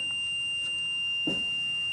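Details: 2008 Workhorse Adventurer Limited 37GL UFO/R26 motorhome, HCU brake system: a continuous, steady high-pitched warning buzzer as brake pressure is relieved to zero via toolbox software during HCU removal, with the two CCM fuses pulled.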